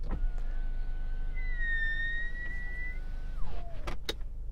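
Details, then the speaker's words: Genesis GV70 power window with wet glass: a thin, high squeal rides over the normally quiet motor hum as the glass moves, its pitch wandering up and then dropping as travel ends. "While the electric window motors in this car are very quiet, if the window is wet, you get this strange noise."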